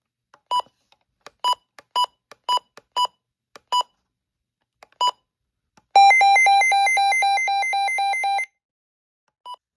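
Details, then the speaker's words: 2025 weather radio (DSP version), alert test: a few button beeps then fast pulsing alert tone about 2.5 seconds that cuts off on its own without pressing a button; normal. "For some reason on DSP versions, it just cuts off the alert test. You don't have to manually press a button to get it off. That's kind of weird."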